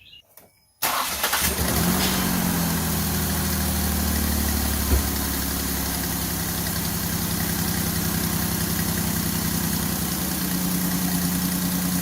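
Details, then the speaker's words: 2002 Ford Escape after spark plug hole thread repair: engine cranks and catches, then settles into an even, steady idle with no puffing or hissing at the plug; sounds like blow-by but is normal engine noise; normal idle. "they almost sounds like it's blowing by it's not that's the engine noises"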